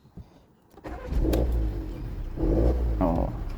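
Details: Volkswagen starts into an uneven, lumpy, surging idle misfire with check engine light, which stays off with no DTC after clearing; cause is a vacuum leak at the intake manifold hose, likely from collision damage.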